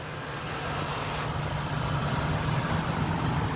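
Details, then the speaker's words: 2002 Lincoln Blackwood 5.4 V8, one owner, 73k miles, cold start idle with A/C compressor kicking on: steady even low rumble, no knocks, ticks or misses; engine sounds as it should. "sounds the way it should obviously the five four great engine you can hear the compressor kicking on"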